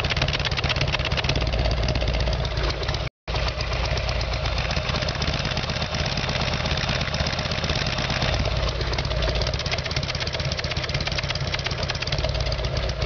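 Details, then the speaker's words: Evolution Sportster V-twin after fixing its carburetor problem: a steady, loping idle with even firing and no pops, the earlier backfiring gone; owner thinks the spark plugs had a lot to do with it. Normal idle. "well it sounds good and I was mo backfiring maybe the bugs had a lot to do with it"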